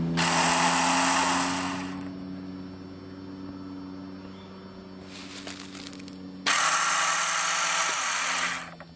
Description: 2 days after replacing front brake pads, fork seals, spraying cleaner & WD-40 on engine & carbsynch - I push start button only to hear 1 pop sound, then whirrring like fan.But bike not starting or even turning over! Just whirrs like an electrical fan.